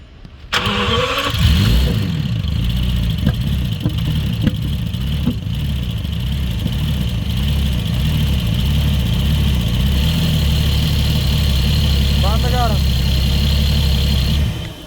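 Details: BMW V12 starting and idling with an uneven, lumpy pulse of about four beats a second; misfire, cause not confirmed.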